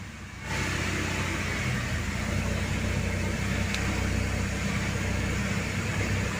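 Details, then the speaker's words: Mercedes-Benz R-Class W251 after topping up low power steering fluid: smooth even idle with steady low hum, earlier droning moan from the pump gone; power steering sounds healthy. "seperti yang kawan-kawan dengar setelah minyak power steering ditambahkan tidak terdengar lagi adanya bunyi yang menga Um pada mesin"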